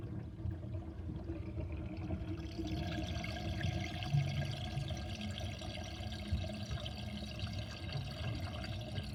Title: Interesting kitchen sinkdrain with drainbasket and loud gurgling sound